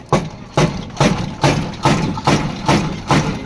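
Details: Brand-new e-rickshaw: heavy, hollow clunks about twice a second from a shock absorber as the suspension is worked up and down; the loud noise occurs when the vehicle drops into potholes or lifts on the left side.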